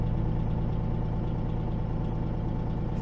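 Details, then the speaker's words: Peterbilt 379 diesel truck idling while compressor rebuilds air, governor cuts in at 100 and out at 120; deep even idle thrum, about three beats a second, no knocks or misses; normal idle with compressor charging. "it's starting to build up air pressure again so that Governor said at 100 it'll kick on at 100 and turn off at 120."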